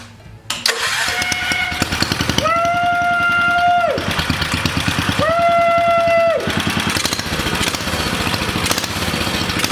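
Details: 1962 Cushman Trailster repowered with a new engine, started with a homemade jumper pack and choke: small single starts, catches and runs with a quick even putter and steady rev holds; running healthy.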